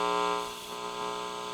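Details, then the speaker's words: Linear wall-wart DC supply with an iron transformer: only a smooth steady mains hum, no buzzing or switching crackle; electrically quiet. "line cord noisy right it's just picking up the hum"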